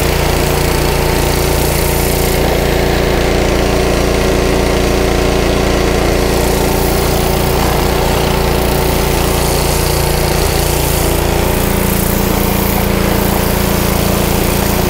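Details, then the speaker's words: Honda GC160 5 hp pressure washer engine surging with uneven, hunting speed despite a new air filter and spark plug; a little choke clears it, pointing to the carburetor, which is removed for cleaning. "you'll see it's surging i put a little choke on it clears right up but you don't really want to run it like that obviously"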